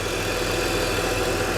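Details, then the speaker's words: 21-year-old early BMW E60 at idle after coolant leak repair: steady even idle, smooth hum, no squeal or chirp from belt side; slight squeak at first, maybe dirt on rollers, water pump no longer squeaking. "It slipped a little or something, but I don't think the water pump is squeaking anymore."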